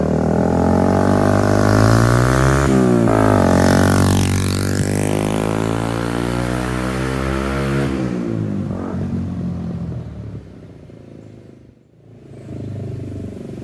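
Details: 2002 Suzuki GZ250 single, straight-pipe exhaust, after carburetor needle shim adjustment that cured a throttle dead zone: revs up and falls back cleanly with a steady exhaust note and no stumble; throttle response normal.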